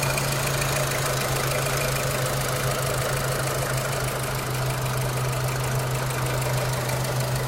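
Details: 2006 Renault Clio 3 1.4 16v, 174,000 km, 5W40 oil (owner wonders if too thin): steady idle with fast light tapping; engine ticking, cause not yet determined.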